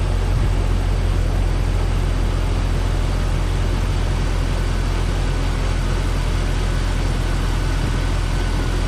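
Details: 1998 Jeep Cherokee XJ, AMC 4.0, after radiator replacement and coolant fill: deep steady rumble at settled idle while warming up, even pulses, no misses or knocks; running smoothly.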